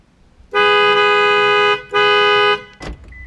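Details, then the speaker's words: 2007 Toyota Camry with horn not working from the steering wheel (fuse good; clock spring suspected), sounded via the remote lock with window down: two loud, clear, steady blasts then a click; the horn itself works normally. "Let me cranking down my window so I can hear the horn sound. So let's say that if I did the locking, right? See that horn sound?"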